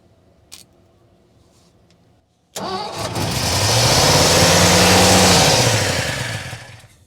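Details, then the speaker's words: 1955 Ford F-250 sat over 40 years, after priming carburetor: catches after a short crank and surges to a high sustained idle far above normal; fast idle, cause not yet known, timing still to set. "we have we have running all right cool that's awesome we got to figure out what exactly is going on with it here why it's idling so fast"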